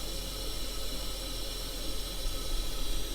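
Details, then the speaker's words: Toilet after a temporary zip-tie repair of a deteriorated Korky flapper: steady hiss of water that never cuts off; fill valve does not shut off and water level is a little high, fill valve probably needs adjusting or replacing. "now this valve does not turn off at all look at"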